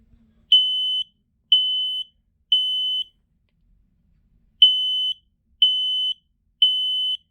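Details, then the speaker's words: Loud high-pitched beeps about once a second in groups of three with a pause, clean and steady. A photoelectric smoke detector sounding properly on its test. "It goes off pretty well."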